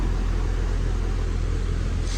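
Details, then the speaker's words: Goodman AC outdoor unit: the fan runs but the compressor gives a deep, steady hum and buzz that stops without starting, pointing to a failed capacitor before it is replaced. "every now and then you'll hear that hum that buzzing and then it'll stop"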